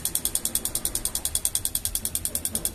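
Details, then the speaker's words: LG microwave control board making a fast, even tictic of about ten clicks a second when the door-switch pins are disconnected (like opening the door). The relay is chattering on low supply voltage; a swollen capacitor on the board is seen as the likely cause. "miren aquí el rel que suena es este tictic eh Mira yo lo he visto esta Fall en otras tarjetas"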